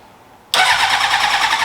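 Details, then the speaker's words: 2003 Honda CBR600RR track bike: after a pause it catches abruptly and runs rough and raspy, only on starter fluid. ECU gets 9 V, it cranks, tank has gas and filter looks clear, but the fuel pump isn't pumping; cause not yet found. "So it gets 9 volts to the ECU, it gets power to everything else, it cranks, it runs on starter fluid."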